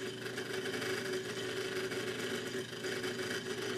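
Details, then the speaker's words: Homemade pulse motor with PIC 12F675 control and a slotted-disc optical pickup: steady whirring buzz with a mid-pitched tone. The noise comes because the magnet is still on as the rotor passes, so the pulse timing needs readjusting. "you can also hear there's noise and that's because the magnet's on as the uh rotor passes it so it's best to adjust the timing again"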